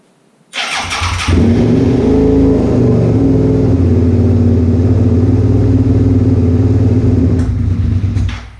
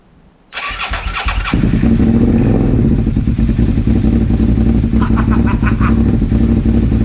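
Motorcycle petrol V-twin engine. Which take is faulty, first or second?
second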